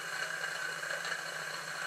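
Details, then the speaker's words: Small live-steam plant on unfinished Victoria steam boat under test: engine runs with even, steady hiss and whir after initial erratic revolutions clearing cylinder condensate; boiler pops and crackles from burning steam oil and dripping water. "as soon as I open the steam valve the engine bursts into life although slightly erratic for the first few revolutions but once the condensate is cleared from the cylinders it runs"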